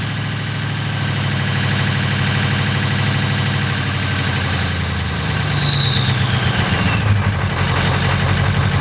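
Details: 6.0L diesel cold start with bad injectors: comes down off a rev with a falling whistle, then idles lumpy and clattery; rough cold idle from faulty injectors.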